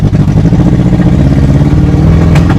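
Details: Honda CRX project car with plug leads in the wrong firing order; choppy, off-beat lumpy pulse sounding like a motorcycle V-twin, possibly running on 2 or 3 cylinders — misfire from wrong firing order.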